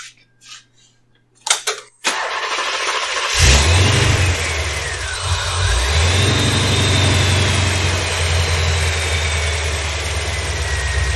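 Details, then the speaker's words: 1987 C4 Corvette after belt tensioner repair: a few handling clicks, a brief crank, then the engine catches and settles into a steady idle with no belt squeal, so the belt will be replaced. "all right much better so I'm gonna go ahead and throw a belt on"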